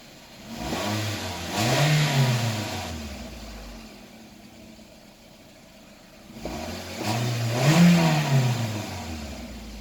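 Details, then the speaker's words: Toyota Isis 1AZ-FSE engine, 104,000 km, automatic 4WD: two clean blips from idle, revs rise and settle smoothly without hunting, no smoke; normal revving. "Работает ровно, оборотом не плавает, а КПП переключается, все работает."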